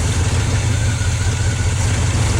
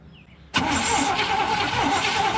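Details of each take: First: 1972 GMC 1-ton ramp truck, 454 Chevy big-block, TH400, revived after 27 years, fuel pump reconnected: deep steady idle with an even beat, no knocks or ticks; oil pressure pegged, running healthy. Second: 1972 GMC ramp truck, 454 Chevy big-block: starter spins steadily two seconds without firing; crank-no-start from fuel starvation because the fuel pump was never hooked back up.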